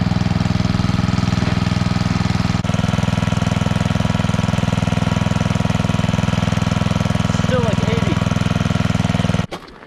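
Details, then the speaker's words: Coleman Powermate 5000-watt generator with a new spark plug, still putting out only about 80 volts: even, steady low thrum with no rise in pace; engine running below governed speed, fixed by adjusting the throttle. "so we might just need to adjust the it doesn't sound like it's running fully"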